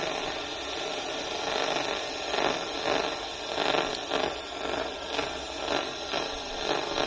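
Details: Ultrasonic leak detector on an air conditioner coil with the system gauge bouncing between 0 and 1 psi; faint crackling hiss swelling in soft pulses about twice a second over static, picking up a small refrigerant leak.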